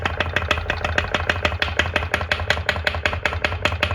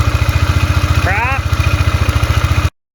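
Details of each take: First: 2002 Polaris Magnum Sportsman 500 that smokes badly: sharp metallic clunks over a low hum. Owner suspects piston slap, rod play or a top-end click tied to the exhaust rocker; a top-end teardown is under way. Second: 2002 Polaris Magnum Sportsman 500 after top-end rebuild with used cylinder and piston, fixing smoking and piston slap: even thumping idle about eleven beats a second, steady and quiet, no slap or knock.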